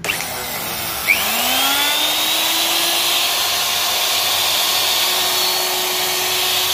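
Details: Hitachi router armature after commutator cleaning and reconditioning, test run; high whine spins up fast and holds a steady pitch with no crackle or roughness: armature runs clean.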